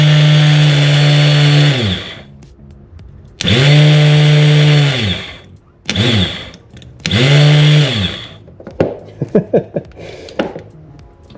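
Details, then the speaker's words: 1999 Yamaha WaveRunner GP760, 760cc two-stroke, bought non-running, first attempt on a jump pack: short two-second revving bursts that sag unevenly and end in ragged popping, running rough; owner thinks it was stuck, probably seized, and corroded. "jeez it feels rough though all right look I think it was stuck it was probably seized"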